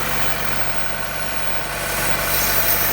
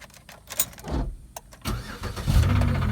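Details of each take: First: 2015 Chevrolet Corvette Stingray at auction, idling after start: steady airy hiss over a fairly even idle, a sucking PCV valve vacuum leak suspected of making the car run badly. Cause suspected, not confirmed. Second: Auction car with 3400 engine showing a bad oil leak; briefly turns over, catches first try and settles straight into a steady idle; normal engine start.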